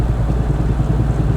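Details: Mazda Protege at about 40 mph: heavy rhythmic low thumping from a wheel, worse off throttle, easing with brakes; suspected bad wheel bearing or axle, actually loose lug nuts left untightened.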